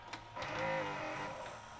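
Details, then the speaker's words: Sharp VC-H972 VHS VCR bought new around 1996-97, unused about 20 years, after freeing the stuck tension band: strained loading-motor whine with gear chatter, tape still won't load; loading motor suspected slipping. "Oh, it still won't load. What the heck? Loading motor is noisy."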